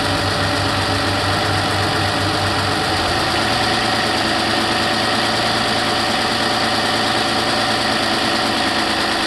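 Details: 2008 Toyota RAV4 V6 at idle after cold start, ticking slowly growing louder: light quick top-end ticking about three a second through the engine noise, cause not yet found; engine ticking at idle.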